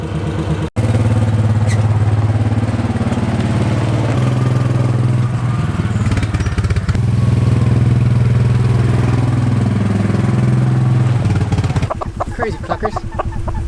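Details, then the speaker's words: 2005 Kawasaki Mule 600 on test drive: smooth engine note rising and falling with throttle, chickens clucking near the end; no misfires, runs like new. "seems to be running good i think that did the trick took her for a test drive to make sure everything was okay and she seems to be running like a top just like new love this thing"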